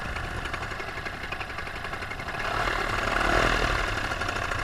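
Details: Paramotor two-stroke with under an hour of flying time, in flight on a full tank, throttle held wide open: an even, high-pitched drone under wind rush, RPM holding steady. This is healthy full-throttle running before the later power loss and engine failure.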